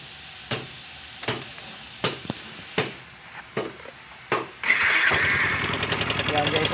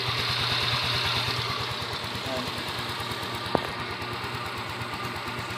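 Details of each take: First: Yamaha Mio Soul i 125S scooter, nearly four years old, cold first start in the morning: slow cranking then quick metallic ticking over the idle, noise that fades once warm; crankshaft bearing knock. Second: Yamaha Mio Soul i 125 scooter, about 4 years old, after the engine was torn down and rebuilt for a cold-start knock: even, steady idle with no knock or clatter; the noise is gone.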